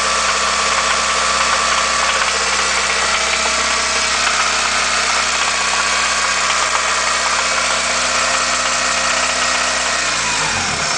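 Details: 1990 Honda Accord running 10W-40 oil, revved to 2000-2500 rpm: a busy rapid ticking knock rides on the engine and drops away as revs fall; source of the knock unclear.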